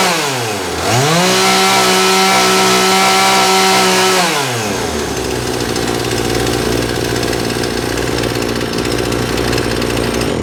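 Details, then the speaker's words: John Deere CS52 chainsaw started with its carburetor triggered manually because the plastic trigger is broken, run to show it oiling; crisp two-stroke snarl climbs to steady high revs, holds even, drops back to smooth idle; normal running. "We're going to start it and trigger the carburetor manually so you can hear it run and watch it oil."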